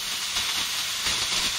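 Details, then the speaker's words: Filling a 1 lb Flame King propane cylinder to 80% capacity: steady sharp hiss of liquid propane spitting from the bleed valve, valve freezing; normal venting showing tank is full. "you just keep filling it until you start seeing it leak out i can feel it right there you can hear it and you can feel it coming out okay"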